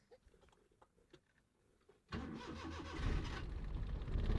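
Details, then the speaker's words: Car started in neutral after its engine bay was washed with low-pressure water: a couple of seconds of faint cranking, then it catches and settles into a low, rising idle; slight misfire expected as the wet engine is cold, not obvious. "Start तो हो गई है अल्हम्दुलिल्लाह ठीक है लेकिन थोड़ी missing थोड़ी सी करेगी ठीक है उसकी वजह यह है य ठंडी हो गई है"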